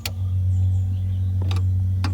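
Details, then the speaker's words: Sharp two-door fridge under repair for neither compartment cooling: after the defrost timer is turned to the cooling position, the fan spins and the compressor starts, giving a steady low mains hum with a few light clicks; normal running. "oke di sini Kita sudah putar artinya di sini kipas berputar teman-teman ya Ah ini kipas berputar kemudian mesin kompresor sudah hidup"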